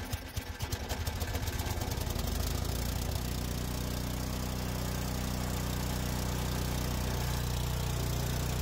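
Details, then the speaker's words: Troy-Bilt four-cycle snow thrower, unstarted for almost two years with a no-start issue, after a carburetor check, three primer pumps and choke: the pull-start catches, sputters briefly, then settles into a smooth, even single-cylinder beat, running well and throwing snow. "engine sounds like it's running well and is throwing snow."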